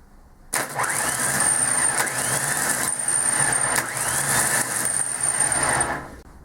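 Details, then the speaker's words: Ford Transit diesel starter motor after repair for noisy squealing, bench-tested on leads: clean click as the pinion throws out, even high whir for about five seconds, then retracts; normal starter operation. "now guys as you see everything works perfect um pinion comes out turns and comes back that's what you want to see"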